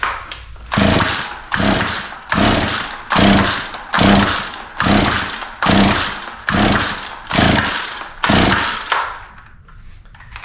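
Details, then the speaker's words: Poulan P3314 33cc chainsaw, chain off the bar, second start test after more carb cleaner (plug found dry); nine rasping pull-cord strokes, no firing: cranking no-start; owner suspects wrong spark timing or low compression, though compression feels adequate. "happens all right so still no start which means that um we may yeah could have uh spark at the wrong time or uh I don't know maybe we don't have enough compression"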